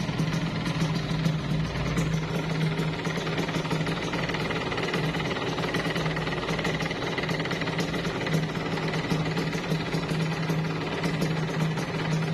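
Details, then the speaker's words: Yamaha RX King two-stroke idling before teardown, recorded up close: a dry metallic chatter on every stroke, partly masked by music, an abnormal engine rattle that the owner suspects comes from worn piston rings or another internal problem. "nah dan suaranya itu seperti itu ya bosku Jadi kalau gua sih kayaknya nggak nggak nggak nggak normal setia dari segi suara ngeletrek itu Enggak normal jadi Maksudnya enggak standar gitu seperti ada masalah gitu kan"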